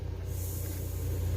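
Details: Husqvarna 575 chainsaw after muffler mod, muffler had filled with gasoline: thin steady hiss under pump pressure test as air leaks through the carburetor; source unclear.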